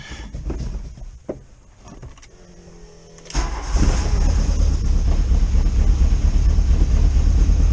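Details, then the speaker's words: VW pickup project engine at cold start after reassembly and some tuning: it cranks and catches at about three seconds, then settles into a low, slightly uneven idle, a little rough while cold; the owner expects it to smooth out once warm. "and maybe just a little bit of tuning for fun, but when it warms up, you know, that might smooth out just a tad."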